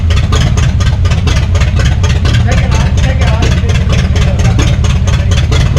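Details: 1962 Cadillac hearse sitting 40+ years, junkyard engine started after choking it: even steady low thump, regular firing beat, no stumble or misses; smooth idle, belt still needs sorting.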